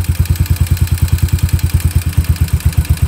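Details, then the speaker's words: Warmed-up Yamaha SR250 single with a Jadus air/fuel screw turned out past its setting. Slow, lumpy thump, beats uneven and sagging toward a stall; rich mixture rough idle. "you really gonna kill the engine if I keep going which means that the mixture is too rich"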